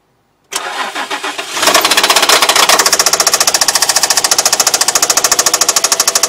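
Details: Infiniti VQ35DE V6 after start-up: a sharp, regular knock of about three to four per second over the idle; spun rod bearing.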